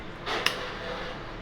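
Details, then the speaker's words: Small ceiling fan running quietly after replacing its badly worn bearing: soft, even airy hiss and one faint click, no grinding or rattle; runs freely with good airflow. "तो बिल्कुल मस्त चल रहा है पंखा। कोई आवाज नहीं है इसमें। फ्री रन कर रहा है और हवा भी अच्छी दे रहा है।"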